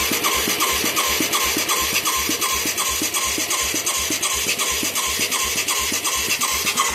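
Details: Mid-1980s Yamaha YFM200 Moto 4 with new carburetor and plug: single cylinder loping about 170 beats a minute with a sharp sucking puff each stroke, popping back at the carburetor intake; owner suspects a valve problem.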